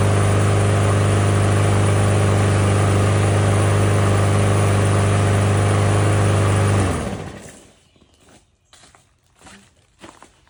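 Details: Lawnmower single-cylinder engine after replacing a clogged air filter and cleaning a debris-packed breather: steady, even drone holding constant speed for several seconds, then shuts off cleanly; runs properly.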